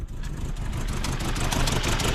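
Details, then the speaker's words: Bug-eye Subaru WRX with a JDM AVCS EJ20 swap, engine unrun about six years, first start after tightening a loose ground, check engine light on. Uneven, lumpy idle with stumbles and faint spark-like ticking; misfire suspected, not confirmed. "let's see if it will run now why does it sound like it's misfiring"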